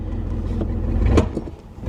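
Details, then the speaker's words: 1983 Mercury Cougar, fuel injected, long-parked, first moving off: single sharp pop from the rear; probably brakes unsticking after sitting, not confirmed. "Oh, what was that? It came from back here. It's probably the brakes popping from sitting for so long."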